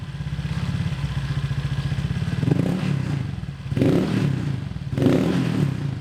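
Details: Honda Vario with CMS copy exhaust after the header joint was packed with a pot-mending patch: low putter that swells and drops three times with a hollow drone on throttle close; owner suspects the header area. Sounds fine on the road.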